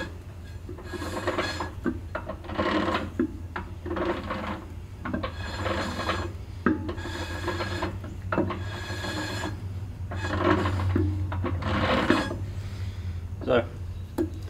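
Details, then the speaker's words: 1964 Ford 4000 Row Crop tractor, new brake shoes being adjusted: light scratchy drag about once a second as the drum is turned, catching and releasing but spinning freely; correctly adjusted, normal light shoe drag. "okay so that's what the sound you're wanting to hear that kind of scratchy draggy type sound and you want you want to hear that but you don't want it so tight you can't turn it because that's going to burn your brakes up"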